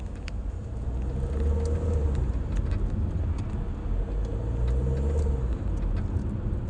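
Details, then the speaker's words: Nissan Qashqai J11: low engine rumble with faint irregular crunchy clicks from the right side when throttle is applied, caused by a worn right engine mount; such mounts found faulty around 60,000 and approved for warranty replacement. "sağ tarafından Sanki bir şeyler bir şey bir yeri kemiriyor gibi Bunun nedeni sağ motor kulağı"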